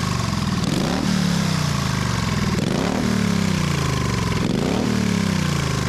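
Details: 1928 Harley-Davidson factory hill climber: strong clean throttle blips about every two seconds, rising and falling smoothly with no knocks or misfires; healthy, normal running.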